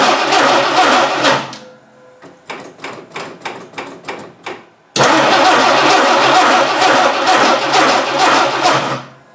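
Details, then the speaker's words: 1960 Dodge Dart Seneca, newly installed engine after over 10 years storage, old stale gas, no choke: cranks and catches, runs ragged and dies, restarts and runs unevenly; stumbling on stale fuel. "doesn't seem to like that old gas i wonder why yeah we'll make her go doesn't help that i also don't have a choke"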